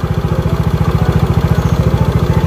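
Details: Yamaha Mio GT scooter after an engine rebuild for severe knocking. Its fuel pump and injector spray are normal again. Crisp, regular single-cylinder idle with no ticking or knocking on top. Normal idle.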